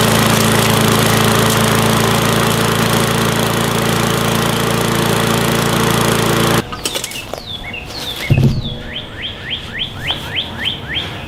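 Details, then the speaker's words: Gas lawn mower that wouldn't start from stored untreated fuel, after carburetor adjustment: steady even small-engine drone without misses or surging, then shut off; running normally. "once it starts and runs a while it's got to be fine"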